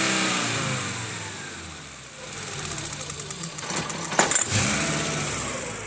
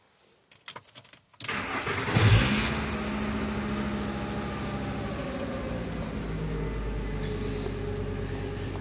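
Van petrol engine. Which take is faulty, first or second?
first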